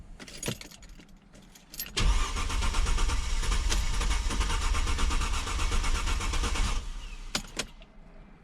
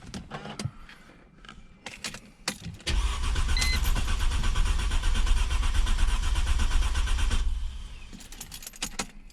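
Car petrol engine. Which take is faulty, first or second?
first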